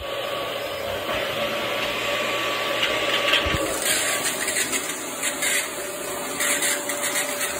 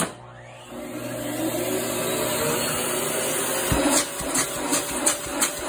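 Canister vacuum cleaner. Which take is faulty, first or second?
first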